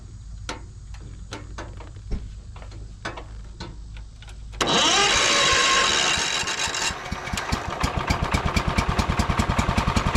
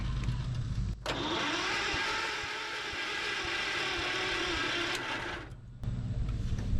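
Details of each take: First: John Deere 110 mower sat about 10 years, throttle working, clutch disengaged: about four seconds of slow starter ticks, then it catches and settles into a fast, even putter; just needed cranking longer. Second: John Deere 110 mower sat about 10 years, battery reading charged: starter cranks engine about four seconds at an even rhythm but it never fires; gas smell noted, cause unconfirmed.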